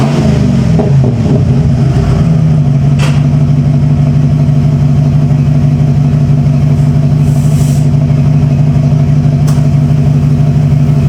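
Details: 1995 Ford F-150 barn find, restarted after a battery boost: a brief uneven catch as it fires, then a steady, even hum with no misses as the engine runs smoothly.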